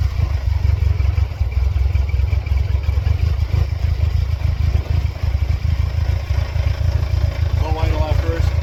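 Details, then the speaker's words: 1999 Mercedes-Benz C230 Kompressor W202 with flashing check engine light, all sensors plugged back in after MAF, idle air control and throttle body unplug tests: low lumpy wavering idle, labouring as if about to stall; throttle response returns but cause unknown. "Changing a little bit. Have throttle response back. The engine's still having a very hard time."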